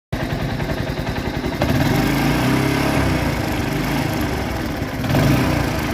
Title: RTR bike engine sound problem